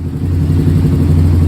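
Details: Yamaha Raptor 660 after inspection, valve clearance check and carb clean for bogging from second gear up: single-cylinder thumps evenly with steady deep note, no stumble or bog; normal running, bogging resolved.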